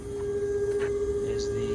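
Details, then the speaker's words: Twin-turbo Audi R8: steady mid-pitched whine at one note from the intercooler sump pump, which is loosely mounted. "oh and you can hear right now um that whining I don't know it just happened to my video but I was coming up here to show you that sound you're hearing"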